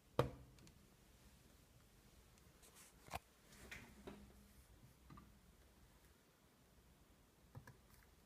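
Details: 2016 MacBook Pro with Touch Bar and Radeon 460: single sharp plastic pop, like crushing an empty plastic bottle, as the lid opens after sitting off for hours, then faint handling clicks; also occurs under CPU load after startup.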